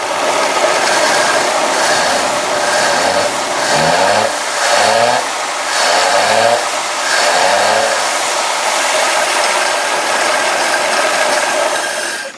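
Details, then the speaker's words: 1954 Ford Skyliner, first start with rebuilt carburetor, no coolant in block: runs with throttle pulses, exhaust choked and hissy as if stopped up; restricted exhaust suspected, cause unconfirmed. "All right, guys, it's running. The exhaust sounds weird. It sounds like it's almost stopped up."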